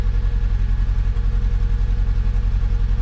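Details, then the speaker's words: Mk1 Fiat Punto, cold start idle heard from the rear by the exhaust after HT leads were put back in correct order: even rapid exhaust beat, no dropped beats; misfire seemingly cured, though it later began misfiring again slightly. "well just listening to it from the back it sounds better"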